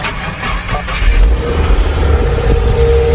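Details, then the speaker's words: 2016 Subaru WRX with front-end damage, with fuel pump now running: starter cranks briefly, engine catches and settles into an even, steady idle with no knocks; starts fine. "your own runs actually pretty good that's always a great sign guys"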